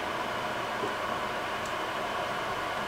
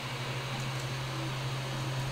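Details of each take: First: Creality Ender 3 printer after a BTT SKR Mini E3 v1.2 board and Noctua 40 mm hotend and mainboard fans; constant airy whoosh with a faint hum, no ticking: the stock power-supply fan, not yet replaced, is simply running loud. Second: Creality Ender 3 after installing a BTT SKR Mini E3 v1.2 mainboard and Noctua 40 mm hotend and mainboard fans (stock PSU fan kept): soft steady low hum with faint airy hiss, no fan roar or stepper whine; normal quiet printing.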